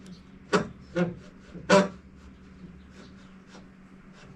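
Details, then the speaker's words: Repaired wood planer drive mechanism running with a low hum and uneven dry rasping scrubs about once a second from one side; oiling that side was the planned fix; scrubbing noise in drive mechanism. "Hear that scrubbing on the other side? Get some oil over there too."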